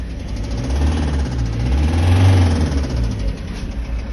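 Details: Kia Sorento 2.5 CRDi D4CB 170 hp diesel after warm-up, idling: deep heavy rumble with a dull knock underneath; real engine knock, source unclear.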